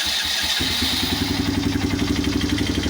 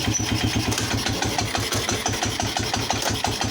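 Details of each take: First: Polaris Phoenix 200cc single-cylinder quad after reassembling the wrongly fitted clutch primary, driving in reverse and forward: quick steady even putter about four firings a second, no knocks; normal running. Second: Polaris Phoenix 200cc quad, new battery, idling after idle bumped up: lumpy single-cylinder idle with rhythmic clatter and lurch when put in gear; primary clutch assembled incorrectly, later cleaned and rebuilt.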